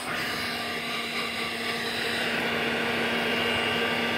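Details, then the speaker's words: Old vacuum cleaner from a vintage lot (G.E.C. DM380, Hoover Dustette Model 100, Vorwerk Vacmaster), first run: quiet, smooth motor whine with steady hissing airflow, no rattles or grinding, has suction; normal running. "wow that is quiet well oh maybe that is on then god it sounds quiet though i don't want to go too near it still very apprehensive got suction"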